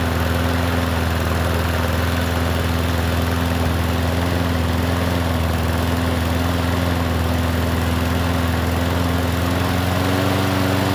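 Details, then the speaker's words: Free Troy-Bilt push mower with a shot, holed deck, first run: small engine drones low and steady with an uneven, slightly stumbling beat; running rough, owner suspects a carb issue. "It almost sounds like a carb issue."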